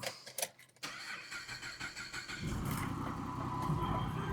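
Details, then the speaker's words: Car with suspected wrong timing chain parts installed: uneven cranking at about four beats a second for a couple of seconds, then it catches into a rough idle. Hard start with a long crank before catching; cause not confirmed. "It is a little hard to start, but she started. She started, boys."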